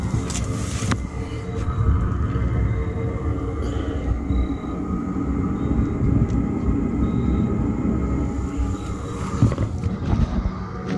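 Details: Chinese diesel heater in a 1981 GMC school bus, straight-pipe exhaust with muffler removed, first start after sitting all summer: steady low roar with a faint even hum, no sputtering or popping. Running normally.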